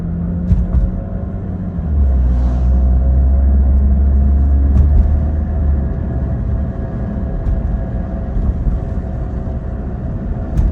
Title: 2009 Acura TL SH-AWD vibration/whirring noise